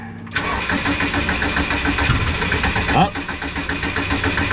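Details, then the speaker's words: Subaru with a tuned engine management, VE table being adjusted on a laptop: rapid rhythmic cranking with a brief stumble as if about to fire, but it never catches; a crank no-start. "it tried to start there just a second ago. Let me try to Maybe get her up there a little bit. Oh, she trying."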